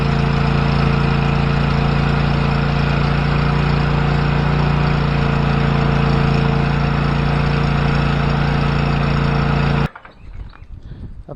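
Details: Cub Cadet XT1 LT46" mower after tune-up (new fuel pump, fuel filter, oil and filter, plugs, can tune-up additive, deposits blowing out exhaust): steady even drone, no misses or knocks, then clean shutdown; running healthy.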